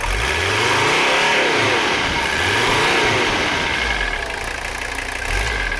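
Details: Mercedes 300CD diesel, not yet at operating temperature, after valve adjustment, fuel line repairs and running diesel purge through the upper fuel system: even clatter, revs rise and fall smoothly and respond quickly; running cleaner.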